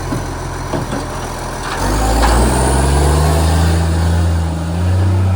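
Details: Canada Bay SL780 garbage truck, a Euro 3 style Euro 5 facelift, idling then revving: a raspy, chuffing exhaust note with an early air brake hiss, caused by a leaking exhaust pipe (since fixed).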